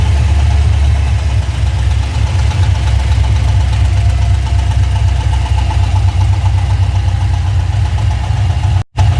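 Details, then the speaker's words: LS1 at idle with a newly developed quick, light top-end tick on the driver's side bank, after a recent full service with full fluids, good oil pressure and no oil light; owner suspects a lifter or rocker, unconfirmed. "okay so cars just developed they knock through the top top driver's side Bank oil was good no lights coming on"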